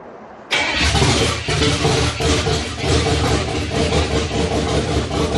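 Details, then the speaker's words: 1967 Chevrolet Impala small-block Chevy V8, first startup after 40 years stored in a shed: catches after cranking, runs rough with irregular loud pops backfiring through the carb and ragged valvetrain ticking. "First startup did not go well. It sounded like it ran good for a second, and then started backfiring through the carburetor. Started having some lifter noise."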